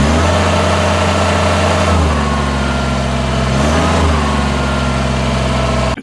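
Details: 2021 Kubota BX23S diesel tractor, under 200 hours, after throttle lever repair and steering wheel reinstall; steady run with a thin rubbing squeal shifting with revs, a skewed washer in the stack scraping the steering column collar.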